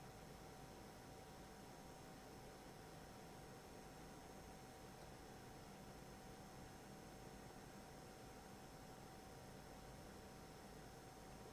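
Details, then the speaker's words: Prebuilt Thermaltake PC with Intel i9-13900KF, 64GB RAM and NVIDIA RTX 4090: steady high buzzing coil whine from the graphics card over soft fan hiss. "If you can hear the buzzing sound, this is the coil whine for this build."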